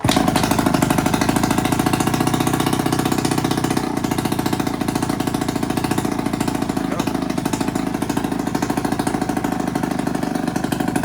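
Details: Chinese Yamaha Vino 50cc clone scooter, kick-started the day after a vacuum leak from an open port was capped. The small single-cylinder putters with a quick, even beat and steady speed, no misfire or hunting; it runs cleanly.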